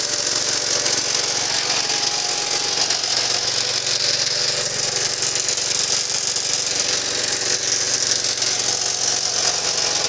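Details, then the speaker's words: Gravely Commercial 12 walk-behind tractor with converted points and added push-button starter: steady, even engine run behind heavy hiss, no misses or surging; normal running. "so here i'll start it up for you as you can see she's running real good"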